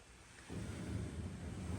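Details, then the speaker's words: Whirlpool Duet dryer after idler pulley reinstalled, drum turned by hand, not yet reassembled; soft low rumble with no squeal or chirp, normal quiet drum rotation after fixing loud squeak. "no squeak and of course this thing has not been placed um all back together yet so that's what it's supposed to look like that's what it's supposed to sound like no squeak"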